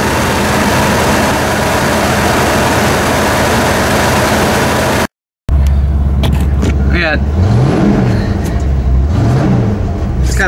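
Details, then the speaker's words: Ford F150 carbureted, jetted lean, test drive after fitting bigger jets: engine pitch rises and falls on throttle with a brief stumble before picking up; lean hesitation. "okay i know it has a hesitation but let's see"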